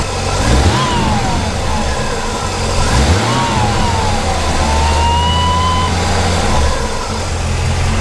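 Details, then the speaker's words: C4 Corvette V8 warmed up after sitting a few weeks: thin whistle over the engine rises and falls with each throttle blip and fades at idle; source not yet traced, owner concerned. "so it's kind of a weird worrying / whistling sound that you got in there I haven't heard that before so if any of you guys have an idea what that might be has me a little concerned"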